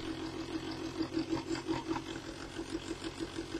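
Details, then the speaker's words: Vibrating table for degassing mixed silicone rubber mould compound, switched on at the bench: steady mid-pitched buzz with a light pulsing flutter, no rattles or grinding; normal smooth running. "what then with the vibrating table and look at it switched on hopefully it ain't going to be too noisy and definite everything out"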